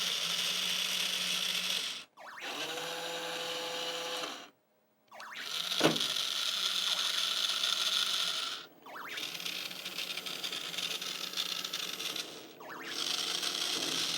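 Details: Nintendo R.O.B. robot after lube was cleaned off: short bursts of smooth, even motor whirring with clean stops, no slipping or grinding; gear drive healthy.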